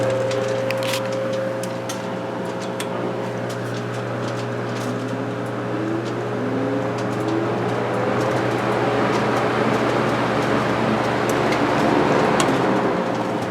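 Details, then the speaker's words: GE antique fan, higher revving than the 16-inch, just after oil change and new wick (not yet soaked into oilite bushing): steady even hum, smooth blade whirr, no ticking, scraping or wobble; healthy. "Again, we're not going to notice any difference now because, well, it hasn't had a chance to soak into the oilite bushing, but now this is a high revving fan when compared to the 16-inch."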